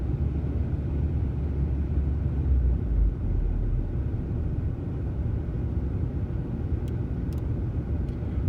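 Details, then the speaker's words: 2003 VW Passat 1.8T AWM petrol, warmed up after test drive, idling with no throttle; low rumble slowly swells and sags, hunting idle; owner suspects vacuum leak after replacing broken vacuum elbow and PCV check valve, rough idle persists. "not giving it any gas at all. It just oscillates like this."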